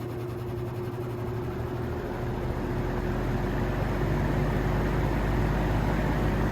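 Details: 1950s GE box fan after motor replacement, running on high blowing outwards: low even motor hum under a soft rush of air that builds as blades spin up, then holds smooth; new motor hesitated to start but runs normally on high.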